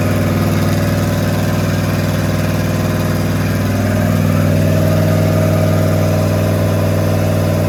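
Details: Rat rod with small-block Chevy 350 V8 just fitted with a new turbo cam, running a steady, slightly lumpy fast idle during cam break-in, firing evenly without stumbling; normal running.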